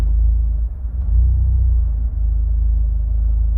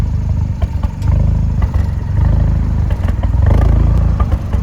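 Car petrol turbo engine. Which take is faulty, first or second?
second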